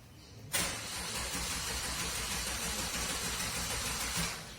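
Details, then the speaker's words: Engine-management training engine with the fuel pump actuator deliberately disconnected as a fault: starter churns steadily for about four seconds but the engine never fires, cranks without starting because no fuel is supplied. "kita starter tidak hidup karena memang halnya kita profil"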